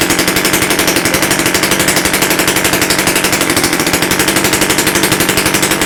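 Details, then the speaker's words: Romet Komar moped with rebuilt S38 "Jajko" two-stroke engine, first start after overhaul on modern parts: Almet cylinder, freshly set carburettor, one syringe of fuel, no exhaust elbow or silencer fitted, not yet in frame; sharp crackling pops about three per second, firing steadily, healthy normal running. "Nawet powiem szczerze że ładnie odpalił"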